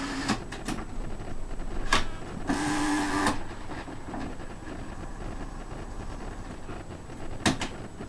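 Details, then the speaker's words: Trash-found modern cassette stereo with broken source selector: irregular mechanical clicks and short whirring chatter from the tape transport while playing; it runs quietly only with the cassette door open. Noisy cassette mechanism. "well I've got a tape in with the door open that seems to be the only way I have to make this work without it making noise"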